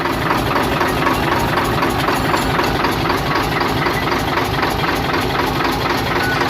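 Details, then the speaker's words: Hino Euro six-cylinder diesel truck at idle: lumpy uneven running with heavy knock about twice a second; per-cylinder checks show only cylinders 3, 5 and 6 firing, the rest not working — misfire on several cylinders. "इसमें अभी जो काम कर रहे ना वह तीन number पांच नंबर छह नंबर ठीक है यह काम कर रहें हैं बाकी काम नहीं कर रही ह"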